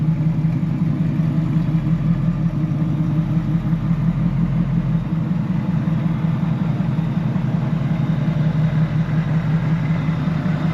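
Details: 2003 Ford F150 Lightning V8 tuned on E85, with a Bassani muffler, J&L catch can, ice box and AFCO heat exchanger: deep, steady low rumble holding an even idle with no knocks or ticks; healthy, strong-running.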